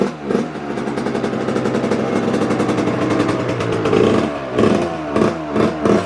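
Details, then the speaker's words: Suzuki RM85 two-stroke on its first start after a build. It runs rough and uneven, with a light clack over the revs that sharpens toward the end. Owner suspects the motor mount bolts, not fully tightened; idle still not right. "what the hell is that let me tighten this bolt because it might be this bolt"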